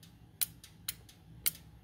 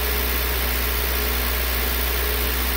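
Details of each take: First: 2003 Honda CR-V K24, code P1279, engine warmed up: VTEC solenoid clicks sharply when 12 V applied at idle, yet VTEC still not engaging per pressure switch. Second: 2003 Honda CR-V K24 with code P1279 after cleaning debris from the VTEC solenoid screen, at 2,000 rpm as oil warms, oil pressure steady near 60 PSI: even engine note with no tapping or surging; solenoid believed to be the problem.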